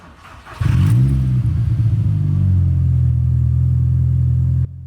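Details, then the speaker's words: VW Mk4 Golf GTI 1.8T, startup to idle before further heat cycles: loud deep idle with a chuffing puff each pulse; exhaust still blowing and smoking at the gasket. "It's quite hard to tell. The exhaust is loud. Let's have a look around the fitting. Does still sound like it's blowing."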